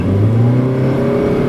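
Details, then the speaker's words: 2011 Honda Civic Si (8th gen, FA5) test drive: revved in third gear, engine drones up with no added pull as revs flare; clutch slipping and due for replacement. "Hear that? So that was slipping."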